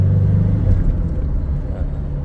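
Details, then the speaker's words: Ford Ranger diesel, about 300,000+ km, after injector repair, road test: deep, even drone pulling smoothly under load in 1st and 2nd and when accelerating to overtake, with no knocking or rattle; engine runs clean. "ดีเลยนะครับคันนี้วิ่งสมูทเลยนะฮะเร่งแซงได้ดั่งใจวิ่งปู๊ดป๊าเลยนะครับ"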